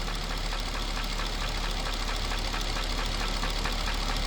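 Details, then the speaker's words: Mercedes-Benz S430/S500 W220 V8 idling during a BG restoration-kit oil change meant to clear sludge: quick, steady ticking knock about four times a second over the engine hum, still present. "I am not using this product in hopes that it's going to correct this potential knocking noise as a prime intent."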